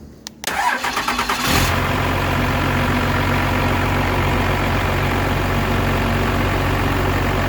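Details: 12-valve Cummins diesel after fitting a new XDP high-output alternator to replace one with a failed bearing: short crank, quick catch and rev, then steady idle with no whine, rattle or bearing growl, charging 14 volts: normal alternator.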